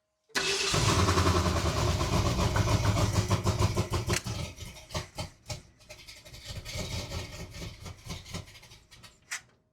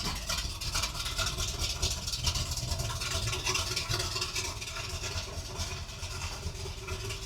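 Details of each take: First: 1978 Ford Bronco after decades sitting in a salvage yard, engine freshly installed and transmission fixed, choke possibly not wanted: starter churns steadily with uneven catches that never pick up, then stops; cranks but won't fire, cause unconfirmed. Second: 1978 Ford Bronco revived after decades in a salvage yard, with a fixed transmission and new pipes, just after a cold start with the temperature gauge not yet moving. Even, loud idle through the open pipes with a steady low beat and no knocks or misses.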